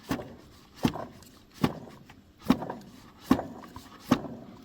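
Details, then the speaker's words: Mazda CX-30 with the belt removed (engine noise gone once it was off), water pump pulley spun by hand: a sharp, gritty rattle about once per second from inside the pump; bearing worn, water pump to be replaced, tensioner too. "so this is not normal sound and there is something definitely wrong with this bearing from this water pump this one is 100% for replace bement"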